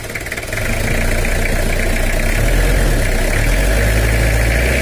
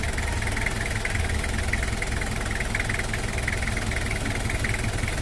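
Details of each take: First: Toyota Kijang LGX diesel idling with a dull, steady drum-like "dung dung" clatter, about four beats a second, inside the engine; also leaking radiator, oil leak and low power; valve clatter from incorrect valve clearance. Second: Toyota Kijang LGX diesel after cylinder head service and valve adjustment, injection pump possibly to be re-set: steady, even idle with firm low rumble, no stray knocks or misses, neither smooth nor rough; normal diesel idle.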